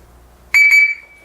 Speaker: hang on folks that's the alarm system on zmo